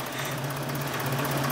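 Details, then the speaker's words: 2000 Nissan Micra K11 Sport petrol, stored 10 years, idling after the fuel tank was drained and refilled: uneven, lumpy beat with steady low hum, a bit better but not right; injectors or leftover fuel suspected. "good fix that it's a bit better but it will be it is a bit better but it's not right"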